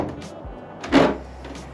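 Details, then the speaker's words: C8 Corvette, about 2.5 years old with about 40,000 miles, opening the rear trunk hatch: one short groaning creak about a quarter second long, a trim or seal creak developing with age; cause not confirmed, silicone grease fix planned. "you hear that Creek yeah it's not exactly the nicest sound especially when you're showing up to a car show with all your buddies and you're trying to show off and then you open up and it sounds like it's like the hatch is about to fall off"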